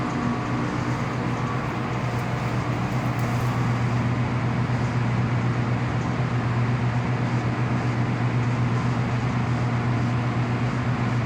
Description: The outgoing cables from low voltage MCC giving high humming sound, cable to cable vibration and wrong cleats are used, which made a current leakage to the ground also cause it to be heated up, cable tie used and later we will use the proper cleats.